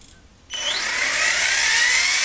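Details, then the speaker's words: Furion 6 helicopter with iKON flybarless governor, Hobbywing RPM sensor, Castle HV ICE II 120 ESC, stunt mode 2: high whir spools up sharply then holds steady pitch, no surging; earlier headspeed hunting gone, owner wonders if computer connection caused it. "i'm pulled up in stunt mode two right now and it's not doing it hopefully all is okay"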